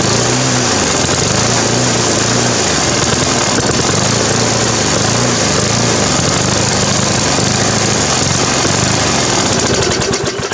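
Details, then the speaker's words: Briggs & Stratton 350 Classic mower engine rising and falling in speed every second or so, even after replacing missing governor springs and the carb diaphragm and gasket; cause is a cracked fuel tank letting air in where the carburetor joins. "Right, so after all that, I was still doing the same thing, and what I noticed is there's a big crack right along here, and it goes under like where the carburetor joins onto."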